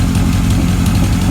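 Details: 1978 Kawasaki KZ1000 LTD four-cylinder on its first runs during a rescue rebuild, new rings still breaking in: lumpy, slightly irregular idle with uneven firing pulses. It is expected to straighten out; cause not confirmed. Uneven idle.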